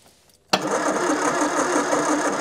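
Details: Long-stored Austin Allegro barn find, cranked while petrol was seen leaking underneath onto an oil patch. The starter spins the engine evenly for a couple of seconds but it never fires: cranks, won't start.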